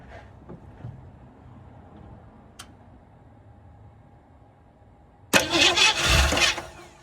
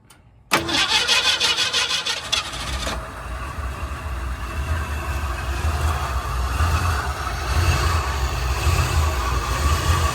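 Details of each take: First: 1967 Ford Mustang (302 V8, factory 289 car) stored since 2008; spark confirmed, fuel poured in: a few ticks, then it fires for about 1.5 seconds and dies. Fuel pump still not delivering, running only on poured fuel. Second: 1967 Ford Mustang with a 302 V8, stored since 2008, first start after fuel was poured down the carburetor: about two seconds of cranking, then it catches and settles into a steady, even idle with no knocks and no fuel leaks. Quieter than expected and healthy.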